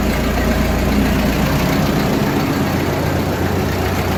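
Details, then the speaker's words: Ford 8N tractor on a six-volt system, cold start in neutral with choke after months unused, following a carburetor rebuild and new plugs and wires: started almost instantly, steady even idle with a low unbroken chug, no misses or knocks. Normal idle. "how fast at that start it started like almost instantly that's how it should be"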